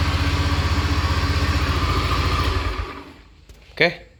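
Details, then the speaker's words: Honda Beat FI injected scooter that hesitated on initial acceleration, after repair: engine pulls up cleanly and runs evenly with no stumble or bog; fuel pump was found to be the cause. "Sepeda motor ini sudah diperbaiki dan bisa digas, seperti yang Anda lihat."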